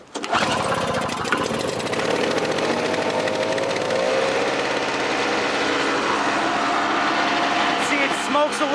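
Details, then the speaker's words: 1999 Snapper SX5200E single-stage snowblower, Tecumseh HSK850 2-cycle 5 hp 139cc electric-start engine, cold start: fires right away into a loud, even buzzing two-stroke drone like a boat motor, no misses or knocks; healthy running. "bit that's natural for a two-cycle machine it's a little bit louder that's two-cycle all the way sounds like a boat motor"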